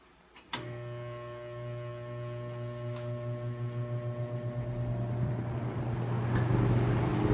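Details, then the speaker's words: Vintage LAU 20-inch box fan with old Fastco motor (about 3.3 amp), likely never oiled: powerful steady motor hum with rhythmic throb about four per second building with speed; shaking out of balance, owner suspects a screw in one blade. "Powerful. It runs very well, minus the shake."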